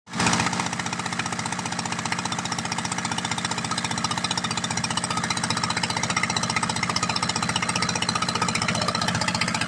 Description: Checking for misfires. The rebuild project seems to be an incredible success!!!